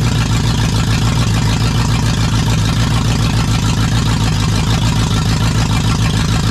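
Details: Jeep KJ with a swapped Lexus UZFE V8, running after the SKIM immobilizer was deleted and a push-start button kit wired in. It idles with a steady, even low rumble and no knocks or misses. Normal idle.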